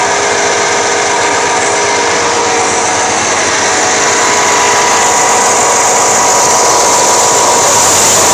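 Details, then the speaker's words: 1989 Chevy K-1500, alternator only about 1.5 years old, charging fine; steady high jet-like whine over running engine; failing alternator bearing, alternator being replaced. "it's charging fine it's just making a terrible noise when it actually it sounds like a jet"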